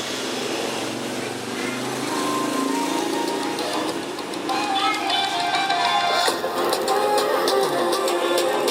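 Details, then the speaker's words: JBL Charge 2 speaker that would not charge, faulty BMS: music plays, then crackles and pops break through louder passages as power fails to hold up, like battery voltage dropping; BMS fault. "Nah, seperti berebet-berebet ya. Berebet karena powernya dia nggak ngangkat ya, matikan berebet gitu ya, seperti baterai drop ya."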